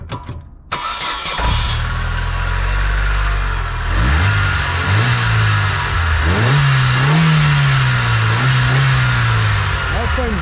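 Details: Corsa B GLS 1.4Si four-cylinder petrol after a new coil pack fitted to cure a three-cylinder misfire; short crank, catches straight away, runs smoothly with throttle blips, all four cylinders firing.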